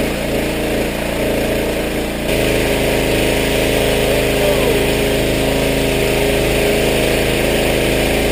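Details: Power washer small engine after carburetor rebuild, water on, little gas, pressure released: picks up and settles into steady even run with faint whine on top, no stumbling or surging; running properly, where it ran poorly before.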